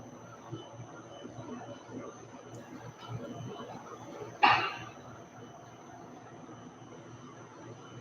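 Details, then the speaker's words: Rotational moulding machine arm after swapping moulds and adding balance weights, running: low, even hum with soft regular turning rhythm, no chain bounce or uneven motor whine; normal running, much quieter once balanced. "So let's run it for a minute and see if it's less noisy. So let the air on. Much more quiet."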